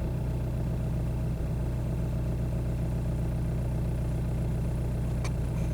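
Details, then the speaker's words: 2002 VW Beetle 1.9 TDI ALH with slow-down shudder complaint, idling in bay: uneven, lumpy diesel beat with occasional stumbles and shaking under steady clatter; common slowdown shudder. "we're just sitting here in the bay and it's shaking hopefully you can hear it the engine is not an irregular rhythm it is stumbling and shaking"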